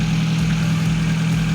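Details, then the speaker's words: 2004 Kia Picanto automatic petrol engine idling during a pre-purchase check: steady, smooth low hum with no ticking or knocking, indicating the engine is in good condition. "kalau seperti itu berarti dia kondisinya mesinnya bagus"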